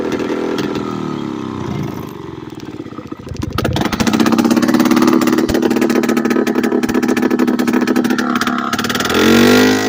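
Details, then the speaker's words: Late-1990s Polaris Explorer two-stroke ATV ridden with the exhaust removed: loud raw crackling rasp with revs surging and sagging unevenly; runs erratically and idles high, still usable but rough without the exhaust. "so really a two stroke ATV without the exhaust is still usable but it's not perfect"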